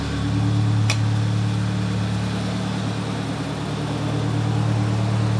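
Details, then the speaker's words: Nissan 200SX turbo being inspected, MAP sensor unplugged so it runs in limp mode: steady, even idle with smooth low hum, no knocks or stumbles; normal idle. "it's running it's running like it in safe mode in limp mode because I don't have the map hooked up"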